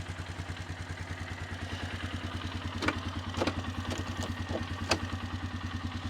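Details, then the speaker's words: 2002 Polaris Sportsman 500 HO single-cylinder engine idling slightly cold, before its later failure: steady even thump with a few light clicks, no knock or rattle; sounds healthy and good running. "And I I looked she's a good running engine. Sounds great. Little cold right now."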